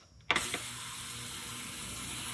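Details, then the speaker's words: Harbor Freight ultrasonic cleaner with lid on, cleaning Mustang engine parts in distilled water and white vinegar: click at switch-on, then constant piercing high hiss holding steady, the normal sound of a working cleaner. "I'm telling you that is so sketch that sound actually it's bothering my ears to be honest with you"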